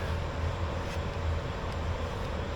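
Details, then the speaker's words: Long-EZ aircraft EFII fuel boost pump being primed with 100LL fuel to lubricate its internal gears, switched on in a loud shop: steady, low, even hum with no surging or rattle, quieter than expected; normal boost pump operation. "Again, I know it's loud in here, but hopefully you'll be able to hear it. All right. It's not nearly as loud as I thought it was going to be."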